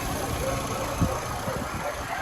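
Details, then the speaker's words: Volkswagen Golf 5 1.6 MPI petrol, 186,000 km at last oil change, engine bay: quiet, even hum at idle with no ticking, rattles or misses, no breather blow-by or smoke; smooth, healthy normal idle. "двигун повторююсь 1.6 мпі працює без зауважень працює тихо рівно нічого не"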